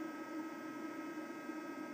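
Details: eFuel PSU30ADE power supply at under 10 W, any set voltage, even idle, drawing 12–16 W itself: steady high-speed fan whoosh like a hairdryer with faint hum; fan running flat out despite light load, also rattling.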